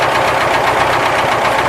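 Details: ZAZ 968 air-cooled engine at steady speed after warm-up on 10W-40 G-Energy oil: quick, even light knocking over a busy engine, exact source uncertain. Timing-gear knock suspected, not confirmed.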